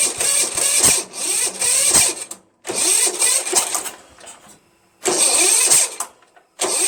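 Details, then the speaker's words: Starter gear hanging up: repeated two-second cranking bursts with silence between and no catch. The weak starter smokes, partly burning off penetrating oil. "so I look you can see it starting to smoke a little bit because it's just like not as strong you know"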